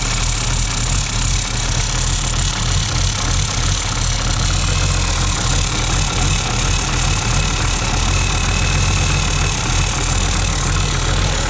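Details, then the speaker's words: 1969 Oliver Industrial 1650 backhoe diesel, ether-started in neutral, charge light on: rough steady running with faint scraping rub up front, likely the alternator fan self-clearancing on a washer at the bottom. "I don't know if that's the alternator self clearancing and what the hell that was okay I think I finally figured out where it was self clearancing it's on that washer at the bottom"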